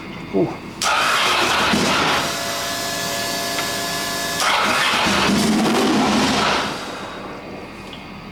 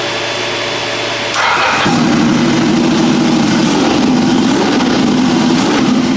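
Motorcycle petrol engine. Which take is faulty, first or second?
first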